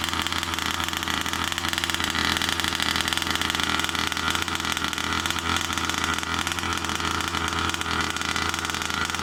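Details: New Rovan 36cc double-ring two-stroke in a King Motor Baja 5B, after removing the head gasket for about 0.2 mm squish, briefly warmed then cooled: fast, even, crackly idle with no misses or hunting, running clean and healthy.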